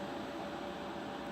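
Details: Trash-picked IBM/Lenovo ThinkCentre desktop powered on: smooth, even fan whoosh with a constant mid-pitch hum, no ticking, rubbing or grinding; fans running normally.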